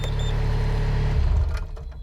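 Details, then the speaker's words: Mustang machine's diesel engine: it runs with the brake off, but turning the hydraulic lock off makes the steady drone cut out abruptly and wind down. The owner suspected an electrical micro switch. "stops [Music] that's the problem so it's a hydraulic or electrical fault i'm guessing electrical and i'm guessing it's a micro switch somewhere"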